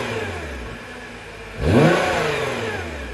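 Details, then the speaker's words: Nissan GT-R with stock exhaust: smooth idle then one quick blip and back down with soft whooshing, vacuum-cleaner-like tone and no knocks; normal for stock exhaust, a midpipe adds throatier sound. "the stock exhaust on the GTR literally sounds like a vacuum cleaner it's terrible"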